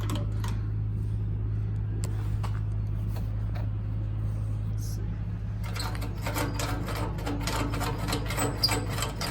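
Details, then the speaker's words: Farmall Cub tractor after sitting about a year, ignition on: low steady hum with slow uneven clicking, engine never catches; starter too weak, owner suspects dead battery or connection problem. "hear the starter trying to turn and that's it so this battery is dead"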